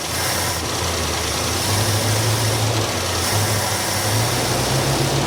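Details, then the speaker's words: 1967 Barracuda V8 with valves needing lashing: slightly uneven, lumpy idle with all cylinders firing but not smooth. The accelerator pump isn't working and it's leaning out slightly; plugs and leads are suspected. Mild rough idle. "It just wasn't smooth. But then it's not the acceler pump's not working. So it's leaning out slightly, but it just didn't seem very smooth as as smooth as it should be."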